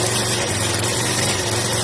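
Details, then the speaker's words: Yamaha SR125 single-cylinder, laid up for years, front end missing, on first start after storage: fast, even lawnmower-like buzz held at raised revs without dropping; idle too high, sitting on a choke idle. "Sounds like the lawnmower. Yeah. The rims are a little too high for idle."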